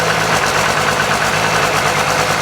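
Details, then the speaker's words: 1995 12-valve P-pump Cummins diesel after pump rebuild and valve adjustment: lumpy, jiggling rough idle that clears when accelerated slightly, then firing on all six; compression and injectors confirmed OK. "so listen see jiggling but then if I accelerate a little higher it gets out of it now it's firing on all six"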